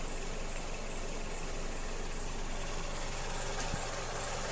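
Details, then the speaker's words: Mazda CX-7 with 2.3 engine, after engine, software and injectors were replaced: low, uneven idle with an irregular stumble in the exhaust beat, skipping now and then; a cylinder misfiring at idle, with one injector suspected from scope tests. Cause suspected, not confirmed. "як результат у нас пропуски запалення циліндра"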